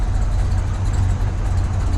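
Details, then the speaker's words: 1965 Pontiac GTO, 389 V8 Tri-Power, 4-speed Muncie, not completely warm yet, light throttle blips in neutral: deep, smooth, steady rumble with no knocks or misses. The engine sounds extremely healthy. "Not completely warm yet, but just the engine sounds extremely healthy. Vehicle runs very well."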